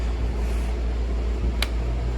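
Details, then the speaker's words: Craftsman utility sharpener, belt driven, stopped working: steady low motor hum with a brief click, no wheel spin-up forwards or reverse; old drive belts have crumbled, fix is belt replacement. "Whenever you turn it on forwards or reverse, it just hums. Now these are actually belt drive and you can still buy the belts for them, so this should be a pretty simple fix."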